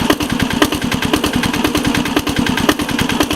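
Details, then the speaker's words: 1983 Case 446 tractor repowered with a Lombardini 6LD 435 diesel, started cold at about 53°F without glow plugs or block heater: crisp regular clatter, no misses, a little smoke that clears when warm; normal cold idle. "It's smoking a little bit. Smoke clears up when it's warm."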